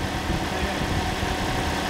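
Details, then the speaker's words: Second-hand Toyota Corolla engine just installed, pre-primed, first start, no engine lights: steady even idle, smooth low hum with no knocks, ticks or misses; runs as it should. "That sounds gorgeous. Started nice and easy, it was already primed, and we turned it over a few times."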